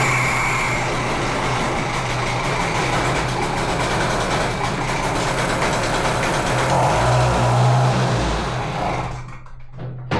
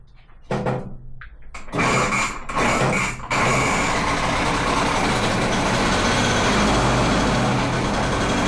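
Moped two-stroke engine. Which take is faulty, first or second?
first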